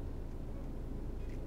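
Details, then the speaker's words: Car held on the brake while the clutch is released to the bite point for a hill start: a low, deep, even engine drone. Normal loading, nothing wrong. "doch gut jetzt merkte diesen druck mercedes auto dröhnt es hört sich nicht gut an er ist richtig so"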